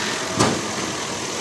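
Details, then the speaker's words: 2004 Nissan Pathfinder at 25,372 miles, in an engine knocking update: smooth, even idle with no tapping or knocking, one brief bump; engine healthy. "start it up no noise this baby is running porn like a kitten"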